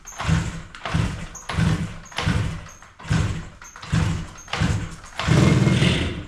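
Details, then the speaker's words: 1985 Yamaha RZ350 two-stroke twin after sitting about 10 years, on premix and choke with its original plugs. It gives an uneven, lumpy putter, seemingly running on one cylinder with the right one weaker; the owner suspects fouled plugs. "really seems like it's running on one cylinder um the right cylinder seems to be maybe a little bit weaker I don't know if it's got a Fed plug because it did run good at one point"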